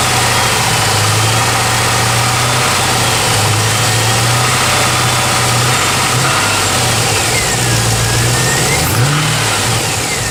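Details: Pontiac G8 petrol engine idling with a brief rev, faint irregular engine knock under the running noise.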